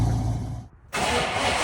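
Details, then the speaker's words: Ford Falcon gasser engine after Drag Week lifter failure, valve train stripped and readjusted in order to cure clatter: smooth pull under steady drone with no clear ticking; valve tick about 90% gone. "Uh, so hopefully when I get this together, it should get rid of that clatter, but we'll find out. Good news, the tick appears to be 90% gone."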